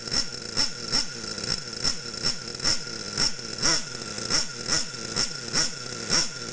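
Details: Losi Aftershock nitro RC engine, warm, needle leaned in eighth turns clockwise during tuning: steady high-pitched buzz with even pulsing about twice a second; runs clean and well tuned.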